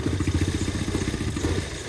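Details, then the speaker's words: 2008 Audi A4 2.0T Quattro 6-speed salvage car, cold start on a cold day, lumpy misfiring idle that stumbles worse when the oil filler cap is removed to check blow-by, upsetting the sealed crankcase vent system. "sounds like it's got a lot of a misfire now let's check for blow by oh it doesn't like that"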